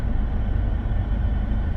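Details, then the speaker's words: Mercedes C-Class after home service (oil change, air filter, codes cleared, service reset), just started and warming up: low, even idle rumble with steady beat, no knocks or misses; live read shows no faults, healthy. "So we've done it, started it up. I'm going to let it get nice and hot. I've just done a live read then. There's no faults popped up as of yet"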